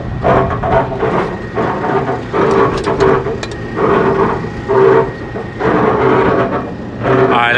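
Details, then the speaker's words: Restaurant exhaust hood fan on the roof runs with a rhythmic squealing chirp about once a second over a steady whir and high whine; technician suspects a dry, unlubricated bearing and shuts it off to remove the belt. "I bet you that thing is not it doesn't have that lubrication so I'm going to see if I have some that lubrication"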